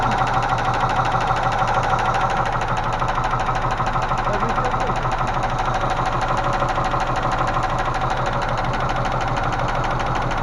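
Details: Range Rover Classic 3.5 V8 at idle: sharp, steady ticking about two per second; hydraulic lifter knock after intake manifold removed and cleaned, gaskets cut, radiator soldered; oil spilled when pressure sender fitted; lifters later found sinking in cylinders 8 and 5.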